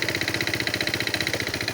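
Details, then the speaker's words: 200cc carbureted single-cylinder engine, idle deliberately set very low, chugging at about 14 pulses a second; spraying start fluid changes the running, revealing an intake air leak. "я нарошну зробив малі холості Щоби вона ледве вигрибала щоби було чути зміну роботи"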